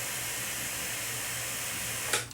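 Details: Atlas model locomotive after truck repair, testing reverse and forward: steady soft hiss with a low even hum that holds level then cuts off with a brief clatter; motor running smoothly.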